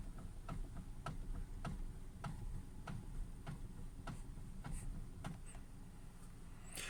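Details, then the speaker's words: 2017 Hyundai Creta, stationary, wheel being turned; sharp, dry ticks about every half second from the steering column, which appeared only days ago; steering column knock. "на днях появилась вот такая небольшая проблема это стук в рулевой колонке при вращении руля стоячем положении автомобиль сейчас я вам его продемонстрирую"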